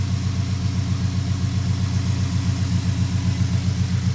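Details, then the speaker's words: 2015 Ford Mustang after a new water pump was installed, engine bay: smooth, even low idle, steady pulse, no ticking, knocking or whine; the engine bay is much quieter than before. "there's the new water pump right here and apparently it must be going on for a while because it's it's the whole like the engine bay is like so much quieter now than what it used to be"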